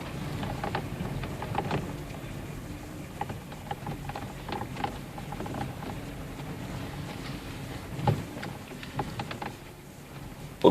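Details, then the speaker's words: Car driven on a gravel road, rattling when the steering wheel is released: irregular light rattling ticks over road rumble, coming and going with bumps; owner suspects the steering rack is knocking. "Ребят, у кого рулевая рейка стучит? Руль отпускаю, начинает трещать."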